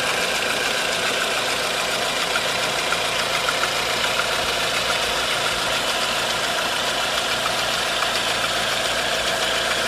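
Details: 1.4 16V engine on a thin idle with a light, fast ticking knock about 3–4 per second; timing chain tensioner checked and a belt removed, noise still there. Source unknown.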